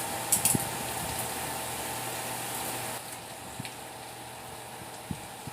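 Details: Generac pressure washer after a new pump was fitted, spraying outdoors: steady engine drone with a light hiss of spray and a few clicks, the note dipping slightly as load changes; owner notes a slight surge under spraying, otherwise runs normally.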